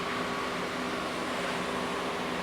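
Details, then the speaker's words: FSJ Cherokee AC refurbish, fan powered via red wire to fuse block and black to ground: smooth, even rush of air with faint steady hum and no rattles; fan circuit works. "And so we know that the fan circuit works."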